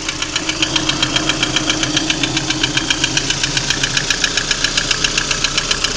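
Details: Lada Priora engine at idle: crisp, loud, evenly spaced tapping around 220 per minute over the idle; engine knock of unknown origin.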